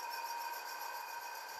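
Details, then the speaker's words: Air-conditioning/refrigeration motor with failing bearing: thin steady metallic whirring, grinding or squeaking with high squeal and little rumble; worn bearing. "this is the sound produced by a failing bearing the metallic whirring grinding or squeaking sound can be heard"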